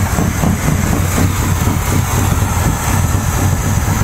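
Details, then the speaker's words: 1983 GMC K15 Sierra V8 with Quadrajet carb after replacing the vacuum break, still smoking. Idle advanced too far, around 3000 rpm: loud, fast, uneven idle that searches and wanders instead of settling; high surging idle, owner tapering it down. "searching like a [ __ ] 3000rpm that's crazy"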